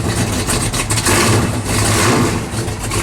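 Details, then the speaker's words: 1970 Pontiac LeMans 455 V8 with long-tube headers, no choke: loud lumpy idle with sharp puffing tick on each exhaust beat; rear exhaust manifold-to-header gasket blown, headers to be pulled and gasket replaced. "m over there blew out the rear of the exhaust manifold gasket to the header so i need to pull the headers off anyway in order to replace that gasket"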